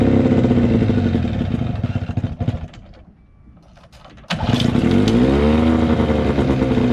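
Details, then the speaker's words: 1979 Johnson 15hp two-stroke outboard, cold start after sitting 2+ months, after replacing fuel lines so it no longer sucks air: crisp even two-stroke buzz, brief dip, then picks back up cleanly; normal running, fuel delivery healthy. "oh yeah she's gonna run alright so that was that was much easier than expected looks like replacing those few lines helped a lot it's not sucking air anymore"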